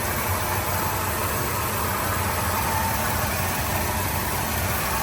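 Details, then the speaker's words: 1979 Ford F250 Custom Explorer V8 at idle after an easy start: even smooth steady low rumble, no knocks or misses; really clean running, normal idle. "But again, really clean running."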